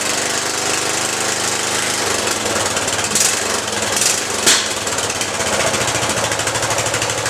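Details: Riding lawn mower single-cylinder engine after rewiring key ignition switch: fast, even clatter with no misses or surging. Normal running.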